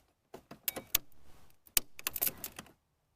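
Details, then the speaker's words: AVAPOW A68 6000A portable jump starter connected to a GM side-post battery: sharp relay clicks as the light turns green, showing it is engaged and ready to crank. "our light Here Is Gone green you can hear it clicking that means we are good to go to try and start it"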